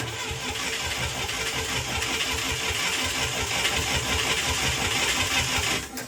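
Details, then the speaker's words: International Scout 800A that sat in a barn for years, cranking for a five-count compression test on cylinder one (about 94–95 psi): steady starter churn with even compression pulses, no stumbles; normal cranking. "all right let's do this compression test for cylinder number one here going to crank it I'm going to count to five and we'll stop there"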